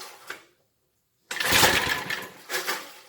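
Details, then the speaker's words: 1970s Briggs and Stratton rotavator engine, unused about 3-4 years, carb cleaner sprayed: quick cord pull, pause, then rough sputtering rattle with more throttle as it almost catches but doesn't keep going. "Here goes nothing. Maybe a little more throttle. Ooh, that sounded like it wanted to go."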